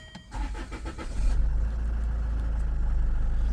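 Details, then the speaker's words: Land Rover Freelander 2, bought cheaply with no key and almost full service history, earlier showing dash lights and limp mode: short crank, quick catch, then smooth steady idle with even low rumble, no ticks or misfires; normal start and idle. "But it sounds, it's sweet. It really does."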